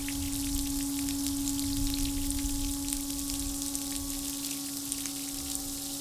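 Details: CM30 intercooler circulation pump for a Mercedes SLK32, bench bucket flow test (about 8.5 gpm): clean, steady electric hum at even pitch while water pours and splashes; running properly.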